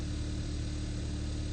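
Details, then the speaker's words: 2015 Kia Forte 1.6 GDI, previously misfiring with multiple misfire codes, after fix and codes erased: steady, even low idle hum with no stumbles or jerking, idling smoothly on all cylinders. "Seems to be running perfectly. Idling smooth. No more jerking"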